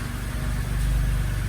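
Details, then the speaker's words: 2007 BMW E86 Z4 3.0si Coupé just fitted with new Scorpion Red Power exhaust, first start and leak test; deep smooth even idle, quietest in a long while, engine audible over exhaust, no ticks or misfires; normal idle. "i can actually hear the engine again over the exhaust which is nice"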